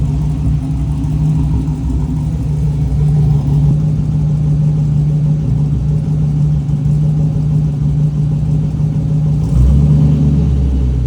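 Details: Trans Am first running after rebuild and refresh begun October 2022: deep, even burble at idle, then a clean rev that climbs and settles; engine sounds healthy.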